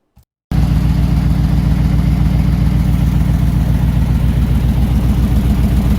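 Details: 1968 Ford Bronco V8, freshly oiled, with thick new oil in the transfer case spinning the front driveshaft; deep, even idle burble with steady lope, no knocks or ticks; first time running within all normal parameters.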